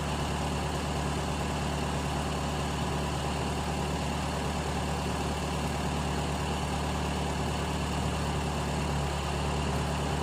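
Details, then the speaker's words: Carbureted car on gas fuel, reducer regulator pressure lowered, set at two full turns, tank getting very cold: low even idle hum with steady rumble, no hunting; stable idle. "suara mesin tambah agak tambah stabil ini pas dua putaran ya dua putaran penuh"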